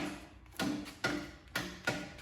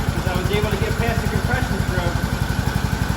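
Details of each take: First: Briggs & Stratton single-cylinder Intek engine on a lawn tractor, battery checked: starter strains with heavy thunks about twice a second, stalling on each compression stroke as if the battery were dead; camshaft compression release has failed. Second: Craftsman T2600 mower, 19 hp single-cylinder Briggs & Stratton Intek, new battery: once cranked past compression it runs with steady even thudding, about four beats a second, no misses or knocks; restarts fail because the camshaft compression release is bad.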